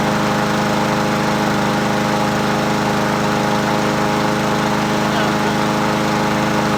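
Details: Free Husqvarna 7021P 21-inch push mower with Honda GCV160 engine, unused for 2 years, running on its original OEM carburetor after the plug was cleaned. Steady, even single-cylinder running with no misses or surging; sounds healthy.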